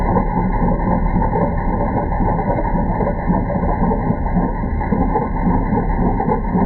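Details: Citroën C4 at idle: a faint, uneven whirring rattle under the engine note, from the timing belt area. The tensioner pulley oscillated widely, sitting low when cold, with the belt recently replaced on 22 June. Timing belt tensioner noise.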